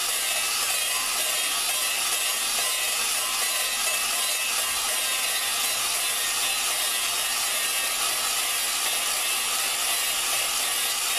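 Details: Valve lapping on a Dodge 4.7 engine with a drill: steady gritty hiss and rasp as fresh lapping compound cuts while the valve spins on its seat, before the compound thins out and stops working.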